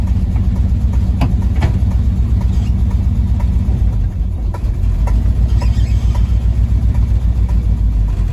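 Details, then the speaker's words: Circa 1980–82 Chevy squarebody truck, long unfinished, driving: a heavy, low V8 rumble with irregular sharp pops about every second. The owner suspects the ignition timing is too advanced; it popped out of transfer-case gear. "well look at [Music] that lovely something is wrong with this engine it's popping really bad"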